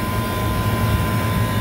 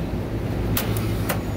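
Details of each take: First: Walk-in cooler condensing unit after replacing bad contactor, compressor and TXV, run for a minute before adding refrigerant. Steady even low drone with faint constant tone, no knocking or rattling; normal compressor running. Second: Walk-in cooler condensing unit just restarted after a contactor replacement. Low hum broken by sharp clicks about every second as it switches on and off. Pressure control suspected, though gauge pressures look fine; compressor short cycling.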